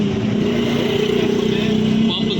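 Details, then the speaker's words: Small RO filter plant's 100-gallon booster pump, tested running after a rebuild with a new head and bearing: a smooth, steady low hum with no grinding or rattle. The pump is running normally. "देखिए जी, माशाल्लाह से तजर्बा कामयाब हो गया। पंप हो गया 0 मीटर।"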